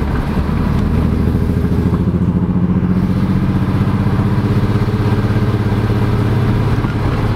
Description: My M3 was having misfires on all 6 cylinders due to pre cat O2's being swapped around in the wrong banks.